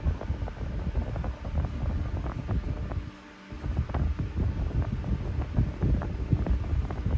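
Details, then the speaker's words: New replacement fan with C-frame motor on high at initial checkout, air buffeting the camera mic; strong steady rush of air with no rubbing, ticking or wobble, runs healthy. "But man, this thing is really moving the camera. This thing is throwing the air. So they gave that C-frame motor way more power."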